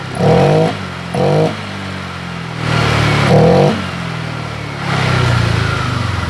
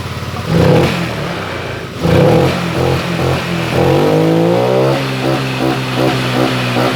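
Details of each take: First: Honda Vario 125 LED scooter with stumbling and sluggish throttle response: short blips, then revs climb more eagerly once fuel is sprayed in through the air filter, showing a lack of fuel; fuel starvation. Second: Honda Vario 125 LED scooter previously stumbling from weak fuel pump pressure, now with a resistor fitted in the EOT sensor socket: quick revs rise cleanly and drop back with no bogging; responsive throttle.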